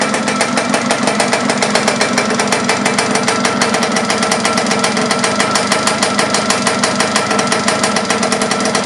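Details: Laverda LB 125 with Zündapp KS 125 WC two-stroke engine, first starts after rebuild: quick, even popping at a steady idle, each firing pulse crisp and regular. Running cleanly.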